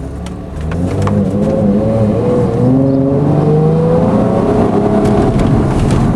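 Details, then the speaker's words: 2007 Hyundai Entourage 3.8 on road test: engine note climbs, sags and stumbles under throttle when pulling away, bucking and jerking then accelerating; hesitation on acceleration, fine once out on the open road. "Normally cars, when they go to accelerate, you just keep right on going. But this one, if you listen, it sounds like it's bogging down."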